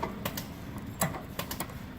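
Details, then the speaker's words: QuietKat e-bike rear derailleur after limit screw adjustment; light crisp clicks in quick bursts as chain steps across cogs, no grinding or chatter; normal gear shifting. "through it one more time just to make sure everything is in order which it appears to be"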